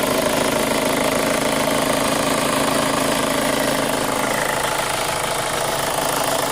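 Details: 2005 Chevy Cobalt LS 2.2L with a P0304 cylinder 4 misfire code, idling: a steady, light tick of roughly four a second; new since the engine was bought, and the owner suspects a lifter, unconfirmed.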